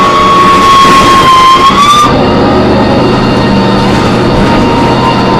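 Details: MTA New Flyer D40LF transit bus while riding on board: piercing high squeal wavers over the diesel drone, then cuts off after two seconds; loud screech suspected to come from brakes or transmission, source unclear.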